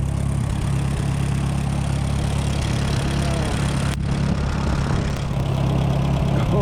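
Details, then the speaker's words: Tractor running late-1960s Smyth Welding 3-point snow blower in cold, windy weather, choke almost full: chugs unevenly, beat stumbling; owner suspects iced carburetor or frozen/blocked fuel line, adds gas-line antifreeze. Rough running. "I just got to get this thing running right. Holy, what is wrong with it? I think there's something blocking the fuel line, or the fuel line is frozen."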